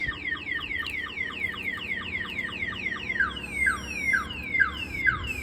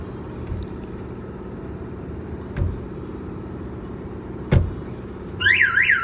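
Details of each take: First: 1992 GMC Sierra 1500 Z71 with a newly installed Viper 5706V alarm: rapid repeating falling chirps, about two a second, high and piercing; built-in shock sensor tripped by vibration or impact, sounding the siren. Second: 1992 GMC Sierra 1500 Z71 with Viper 5706V alarm installed: knocks on the body trip the built-in shock sensor, then a loud wailing siren sweeps up and down about three times a second; car alarm siren.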